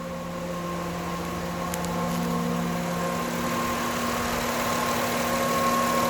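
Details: 2009 Honda Accord 3.5 L at idle: steady high-pitched whine from the alternator, not power steering; disappears when alternator disconnected; failed rectifier diode, alternator needs replacing.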